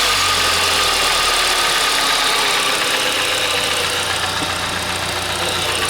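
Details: Hyundai i40 2.0 G4NA engine with cylinder scuffing found by endoscope, plugs replaced, at idle: a light, regular tapping knock about four a second over a hissy top end. Owner suspects the coupling; unconfirmed.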